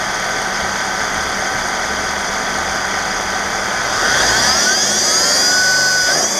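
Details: 2012 Mercedes-Benz E350 BlueEfficiency, before idler pulley replacement: a thin, high whine over a steady idle climbs and falls with a short rev, from a dry, failing idler pulley bearing.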